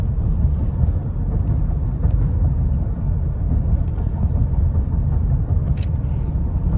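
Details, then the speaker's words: 2010 Honda Odyssey, about 110,000 miles, after two tanks of gas (about 500 miles) with Liqui Moly fuel system cleaner for earlier rough idle and hesitation, driving about 40 mph: even steady rumble, no surging, stumbling or shudder; pulls smoothly, sounds healthy. "लेकिन अब जब मैं इसे चला रहा हूं तो कोई कमी नहीं है, वाहन से कोई बिजली गायब नहीं है"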